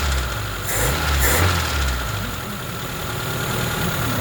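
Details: Slavuta 1.3 petrol engine at idle: dull, uneven knock over low rumble; persisted after removing a fallen carburetor stud from cylinder two's combustion chamber and refitting the head; four mechanics couldn't identify the cause.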